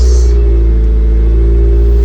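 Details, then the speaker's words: Car (Honda Civic tagged) started right after replacing the battery terminals: engine catches straight away and settles into a steady, even low rumble with no misses or knocks; normal start and idle. "So let's jump in the car, see if it starts. All right, y'all, moment of truth."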